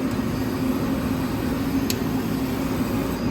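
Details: Nieco gas burner with a grounding issue where its mounting position made the flame drop out. With it raised, a steady even roar with a low hum and no sputter or dropouts; the flame holds, running normally.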